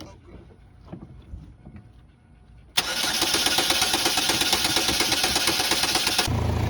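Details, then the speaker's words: 2011 Chevrolet Malibu that had shut down and would not crank; after replacing a blown injector fuse and reinstalling the powertrain relay, the engine catches at once and settles into a steady, even idle, starting and running normally. "All right, guys. So, uh, got a new fuse in there. I had this relay pulled out. That's why it wasn't getting 12 volts."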